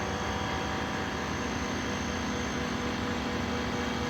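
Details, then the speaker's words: 2023 Ford F-150 with load-leveling airbags and DIY wireless controller, pressing A: compressor (max about 70 PSI, bags rated 100) drones with a steady hum at even pitch, no rattle or strain, inflating bags normally. "We hit A, it begins to pump up the bags."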